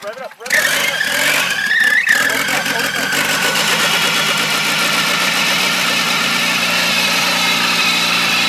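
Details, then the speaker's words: Volvo with welded diff, previously wouldn't start; after fitting new spark plugs (spark checked, coil pack considered) the engine cranks briefly, catches cleanly and settles into a steady, even idle; normal start and idle, old plugs were the cause. "all right guys so as you can see the volvo started um it's crazy how the spark plugs prevented the car from starting"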